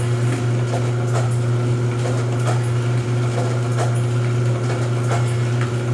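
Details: Rosback 250C (318) 3-knife trimmer with CueFeed feeder, new DC controller fitted, delivery not running so books caught by hand: steady low motor hum with light, evenly spaced knife and feed clicks, no binding; normal trimmer running cycle.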